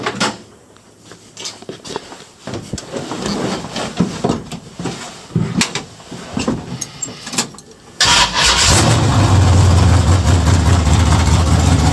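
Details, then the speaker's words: Budget Chevelle V8 running with no muffler fitted; after some clattering it catches into a harsh, very loud unmuffled rumble; loud exhaust awaiting a muffler. "It was cheap, and this thing's kind of loud. I'll go ahead and start it up for you guys so you can hear how loud it is."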